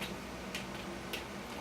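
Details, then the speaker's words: Washing machine idle in a quiet basement with the taps closed and water supply off: soft, regular drips about every half second into the drum, never seen before; a pair of inlet valves leaking even when closed. "I've never, in the entire time we've had this thing, seen it drip like this."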